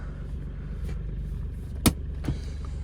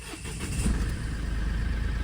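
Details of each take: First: Mahindra Bolero Neo diesel, 2025 model, about two years old with roughly 23,000 km, just started: even, low diesel rumble with one sharp click, no knocks or misses. Engine running smoothly at idle; normal diesel idle. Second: Mahindra Bolero Neo 2025 diesel, about 23,000 km, cold start: catches into a fast, rough idle with hard khat-khat clatter that clears after a few seconds; owner suspects oil reaching engine parts late, present since new, absent when warm.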